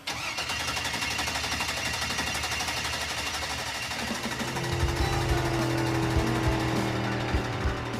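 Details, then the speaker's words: Engine with coils and injectors being started during about half an hour of attempts: steady cranking at roughly three turns a second that never fires; cause was one unconnected wire feeding power to both the coils and the injectors. "For about half an hour, we've been trying to start this thing, like cranking it, cranking it, testing wires, getting out the laptop, getting on the phone, and it turns out we had one wire that feeds power to both the coils and the injectors that we hadn't hooked up."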